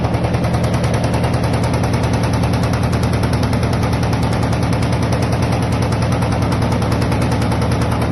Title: LG Washing Machine Rattling Noise